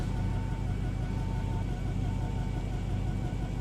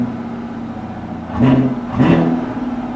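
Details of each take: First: Chevrolet Camaro SS V8, a former non-runner, idling with a deep exhaust rumble and an uneven, stumbling misfire beat that cannot be felt inside the car; the temperature gauge reads overheating from start-up. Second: Chevrolet Camaro SS V8 at Copart: smooth idle, then two clean throttle blips that rise and fall with no knocks or rattles; the exhaust sounds fine, a normal rev.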